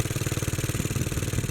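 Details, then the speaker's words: Bolens garden tractor (possibly 1957, tag Type 21HD01), small single-cylinder engine after years sitting, running on choke; it dies when choke is taken off. Lean, not getting enough gas; owner starts opening carburettor screws, mostly the main jet. "so it's running lean not getting enough gas i'm gonna start opening up the screws a little bit mostly the main jet"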